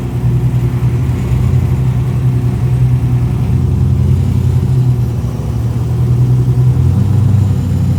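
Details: BMW E34 with LS3 V8, first start during rebuild three years after an accident: deep heavy rumble with fast even burble, no knocks or rattles; idles normally.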